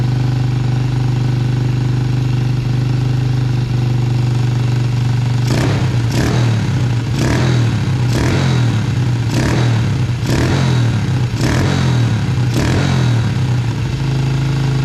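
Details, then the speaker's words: 2000 Yamaha TTR90 single-cylinder dirt bike, first start after carburetor refitted, possibly on reserve fuel: quick steady idle, then a string of throttle blips; idling too high from a sticking choke and misadjusted idle screw, carb suspected dirty, dripping fuel. "there we go it's idling a little bit fast well spray a little carb clean OD we can feel too that carb must be"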